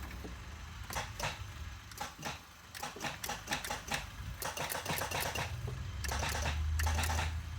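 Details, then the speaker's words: Mk3 Toyota Supra after reconnecting the security system, key in the on position: sharp fast clicks in uneven bursts plus a slight buzz, with no cranking. No crank, no start, cause unknown. "now I don't know why I know it buzzes a little bit it's still doing that okay but that consistently clicking I don't know what it is"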